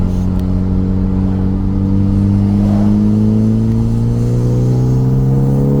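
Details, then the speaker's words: 2014 Hyundai Veloster Turbo after replacing bad ignition coils that caused a serious misfire: revs climb smoothly with an even, steady note and no stumble or miss, running much better. "The car seems to be running much better."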